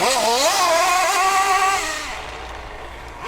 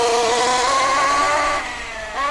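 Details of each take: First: MP9 nitro RC car, high-speed needle leaned slightly from the break-in tune: crisp two-stroke buzz climbing and falling freely with throttle blips, revving clean and quick; a big improvement. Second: MP9 nitro RC buggy, first run on its existing rich running-in tune with the needles unchanged: high, wavering, soft, blubbery whine rising and falling with throttle. Rich break-in tune.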